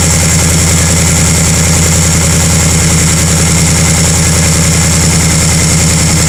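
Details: 2018 Mustang GT PP2 V8 at cold start, recorded from the undercarriage, revved only to 2200 rpm: steady low idle with a dull clank; owner unsure whether it is piston slap.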